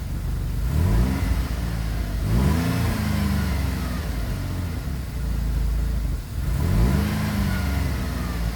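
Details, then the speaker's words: GM 3.6 engine just replaced, cold start after crank/no-start trouble, burning off oil: high fast idle with revs swelling and sagging every few seconds, runs "real funny"; temperature climbing unusually fast; cause not confirmed. "Starts up now. It runs real funny. Runs real funny."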